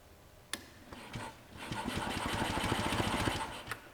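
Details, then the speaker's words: 1946 Onan two-cylinder generator, cranked on jumper cables from a weak battery, about 5 units of oil pressure. Steady starter churn with even compression pulses, three to four a second, no firing. Compression felt low by hand crank. "Just cranking it doesn't sound It sounds good. that bad."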